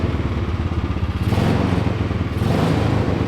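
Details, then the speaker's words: Small single-cylinder 301 lawnmower engine with a Two Brothers exhaust in a mini trophy truck, first start on fresh fuel: revs up with a crisp, even exhaust note and steady low putter, running clean and healthy. "Oh! Oh! There we go. Dude, that sounds good."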